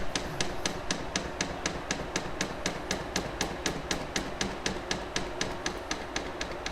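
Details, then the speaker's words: Atlantis EM-90 polymer makedown system metering pump priming neat polymer at 100% speed in hand mode, filling the 125 ml calibration tube. Crisp, steady clicking about four per second over an even low hum; normal operation. "You'll hear the polymer pump start running as it starts drawing in neat polymer. It's a good idea to have the stroke turned up to a decent rate for this."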